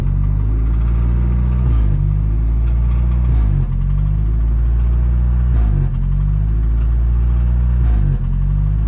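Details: 1992 Toyota 4Runner with the 22RE four-cylinder and G58 manual transmission: low idle stumbling and dipping about every two seconds when the brakes are applied. Temporary fix is plugging the small hole in the MAF intake boot with JB Weld.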